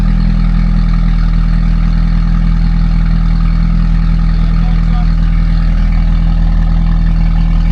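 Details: Crash-damaged Mini John Cooper Works first start after new battery and replaced 20 amp fuse: steady, deep, even idle hum with firm low rumble, no misfire or knocking; engine running cleanly.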